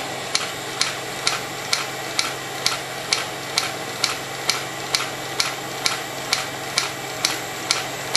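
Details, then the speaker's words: Stirling beta engine model under light resistance load: light even ticking about two beats a second, slow and labouring, loses speed, little pulling capability or torque; low torque under load. "yeah looks like we lost some speed here the only reason people have well Little Resistance on it down yeah it doesn't have back to it doesn't have a lot of pulling capability doesn't have a lot of"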